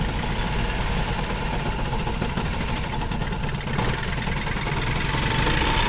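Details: 1960 International tractor, temperature gauge fine: low, uneven idle with a wandering beat, stumbling and needing throttle to keep running; first suspected fuel, then judged not fuel. Rough stumbling idle.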